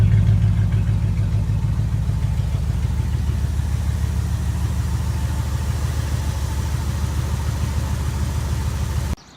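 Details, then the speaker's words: Jeep Grand Wagoneer V8 with a dirty air filter, idling: deep, even, low boat-like rumble with a steady beat and no ticks or knocks; healthy smooth idle. "This thing sounds like a freaking boat. Listen to that. It's just badass."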